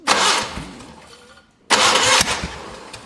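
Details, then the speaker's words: Old abandoned Spider forklift engine that ran briefly, then was shut down, with the carburetor suspected and one side flooding: two short cranking bursts that spin steadily but never catch. Crank, no start. "all right so it runs but we had so much traffic and stuff folks coming in I uh kind of shut her down and now I think the carburetor's like bunk she doesn't uh let's see here like it cranks but it's"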